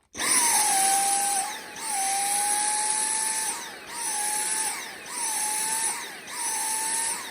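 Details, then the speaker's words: Dyson V6 handheld battery vacuum: high whine repeatedly sagging and recovering about once a second, surging like cutting out, often mistaken for a tired battery; actual cause is clogged washable filters, fixed by washing them. "So a lot of people think that's battery, and if a battery is getting tired, it can behave like that, but typically it just cuts right out. What that is plug filters."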